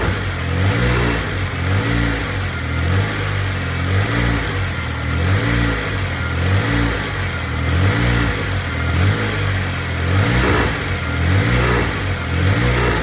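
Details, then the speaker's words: Honda K24-swapped BMW E36 after head gasket repair with freshly redone head, turbocharged, running rich then leaning out; idle with repeated throttle blips about every second, revs rising and falling cleanly without misses or knocks. "There it is. Yeah, that's what I was Yeah. giving some throttle. Sounding good."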